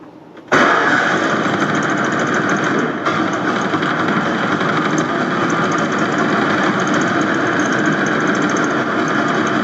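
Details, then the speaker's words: 1989 Ford F250 truck's first run in years after a whole new fuel system (rusted tank and failed pump replaced): it holds a steady, even idle with no misses or knocks and decent oil pressure. Normal idle. "Looks like the oil pressure is uh decent. We have a runner."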